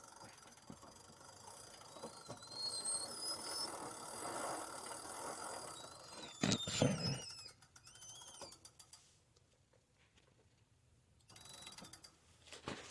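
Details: Ariel Rider Kepler e-bike, new, after 5-mile test ride: thin chirping squeaks from crank area in uneven bursts when pedaling or back-pedaling the chain.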